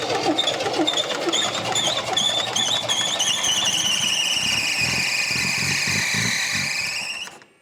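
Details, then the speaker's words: 1979 MGB, long-dormant, first run after cleaning oil-caked spark plugs: a loud, steady high-pitched drive belt squeal over the running engine, sagging slightly in pitch; owner suspects a seizing alternator that got hot, cause unconfirmed, and the belt was then removed. "That did it, didn't it? The belt's going nuts. Why is that? I wonder if the alternator's seizing up on it."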